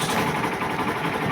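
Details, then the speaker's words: Hero Glamour BS6 FI bike after repair of a loud knocking from the engine head left by another mechanic's work, with genuine parts fitted and tappets adjusted: steady, even single-cylinder idle, smooth patter, no top-end ticking; engine sounds healthy. "अभी मैंने गाड़ी start कर दिया और इधर metre में सभी light आ रहा है और इंजन का साउंड आप लोग सुन सकता है। इंजन का साउंड इतना बेहतर आया हुआ है और इंजन का कोई इशू नहीं है।"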